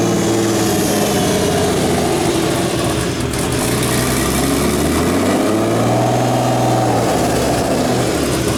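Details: Turbo BMW E36 (72mm KKK turbo, KDFI ECU) just started, cold: idle hunts up and down over several seconds; owner attributes idle surge to a vacuum leak, says it calms once warm; coolant low, suspected air bubble.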